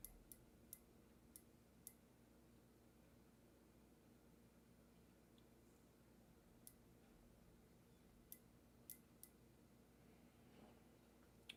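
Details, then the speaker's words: Neo Geo and PC Engine LT setup with an intermittent power connection: faint, sharp, irregular "tink" ticks over a quiet low hum; the source is unknown, and the power adapter or plugs are suspected. "I don't know what's making it causing a thing to go Tink but I don't like weird sounds like that"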